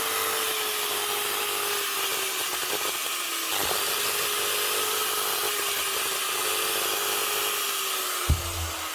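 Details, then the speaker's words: Old Hitachi G12SR3 angle grinder, spinning far too freely: high whine sagging slowly and cutting out twice, uneven sputtering run; brushes found nearly worn out, motor or bearings also suspected. "could be a motor problem or it could just be like I thought I need a set of brushes"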